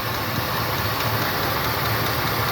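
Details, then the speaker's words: Engine idling with rocker arms exposed; faint light ticking over the hum from one lifter, owner already knows which one, found by feeling each rocker arm at its pivot. "start the engine too loud but one of these is for sure ticking I already know that it's this one"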